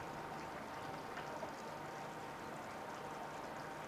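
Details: 2014 Yamaha 70 hp outboard, 20-inch shaft, 1,500 hours, after new plugs, impeller, filters, oil, lower unit lube and cleaned fuel system: soft, even idle hum with water stream pumping well; normal idle.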